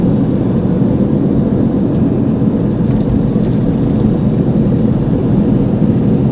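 A loud, steady low roar droning under the road noise while cruising, the typical hum of a worn front wheel bearing.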